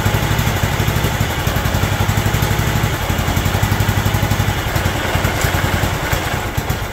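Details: John Deere LT160 Automatic mower revived after years outside, running from a fuel funnel: loping single-cylinder idle near four beats a second, uneven but steady without stalling; normal idle for this engine.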